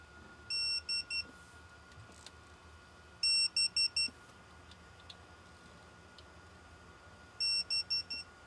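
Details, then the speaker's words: Mercedes GLS 450 with M276 engine, camshaft and phaser replacement reassembly, torquing cam retainer bolts to 71 in-lb: three bursts of four quick high beeps from the digital torque wrench signalling set torque reached. "So, we're going to torque these guys to 71 inchpound. Right there. Nice."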